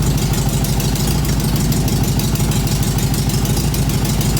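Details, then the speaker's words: 1967 VW Beetle 1500 air-cooled flat-four, first start after years sitting, running indoors: loud, raspy, rapid popping idle, extra loud because the exhaust has holes, reluctant to rev, exhaust leak. "The exhaust has got holes in it which is why it's extra loud and it's indoors."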